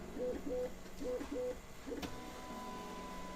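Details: Voron Legacy 3D printer, Bowden setup, not used for a while, running auto Z tilt with sensorless homing, physical end stops disconnected: short paired stepper tones about once a second, smooth even motion with no grinding, all normal.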